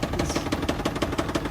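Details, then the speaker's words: 2024 Ford Super Duty Power Stroke diesel with 10,000 miles, at idle: a sharp, even knock about six times a second; rod knock is suspected, not confirmed. ">> it didn't even make it to its first break-in oil change at 10,000 miles that the manufacturer recommends now. Yeah, cuz that'll make sense. Rod knock at 10,000 mi."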